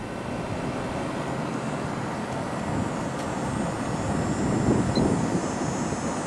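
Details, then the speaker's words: 1989 Carrier International Series 6200 BTU window air conditioner, GE fan motor, switched to high fan after long running (about 580 W, 5.17 A on low); steady even air rush over smooth hum, no rattles, ice-cold air, amperage within spec — normal running. "So, it seems to be working exactly the way it should."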